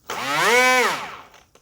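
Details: XK F959S Skyking 3-channel RC glider with a rear pusher propeller on a 2S lipo, motor run as throttle is raised: a smooth electric whine climbs in pitch, holds, then winds down evenly. A clean, healthy motor.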